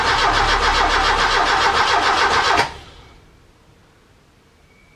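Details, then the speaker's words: Ford Capri Calypso after 14 years' storage, first start attempt, no fuel yet drawn up, battery weakening; starter turns engine at even four beats a second for over two seconds without firing: cranks but won't start. "it turns, which is good."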